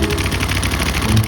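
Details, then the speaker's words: Honda Twister 250 single-cylinder motorcycle idling, cam chain tensioner removed and held by hand: fast light metallic rattle keeping time with idle; worn cam chain, guide and tensioner, to be replaced with top end opened. "Aí tem que abrir o resto do motor aqui, a parte de cima dele aqui, fazer a troca da corrente com juntamente com o guia e o tessor e o esticador, porque tem essa marcação aí, ó."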